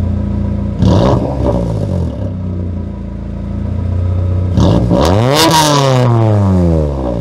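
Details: 1997 Honda Accord after exhaust flange gasket replacement, warmed up: clean revs rising and falling smoothly with no exhaust puffing or ticking; exhaust leak fixed, normal revving.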